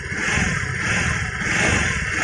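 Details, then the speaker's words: Honda Vario 110 FI scooter, tested without rear pulley, at very light throttle and low rpm: high steady singing whine, indicating a worn crankshaft bearing, unlike gearbox bearing whine that appears only at high rpm. "Tapi bedanya untuk bearing kerek yang kena itu saat kita gas pelan itu udah bunyi ya. Jadi saat saya gas pelan gini udah bunyi suaranya."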